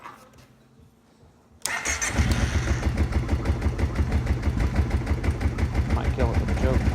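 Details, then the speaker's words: Kawasaki Prairie 700 ATV idling with clutch covers and main clutch removed; slow, even low thump with clutch ticking and slight rattle; idle set too low and needs raising. "she needs an idol up a little bit yep here that clutch ticking this engine is really really quiet without the clutch covers without the main clutch on it"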